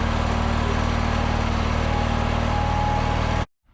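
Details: Small engine started with the choke out after an air cleaner install, low fuel showing in the filter: steady, even low chug with no knocks or misses, then a clean shutoff; hard start is fixed; normal idle.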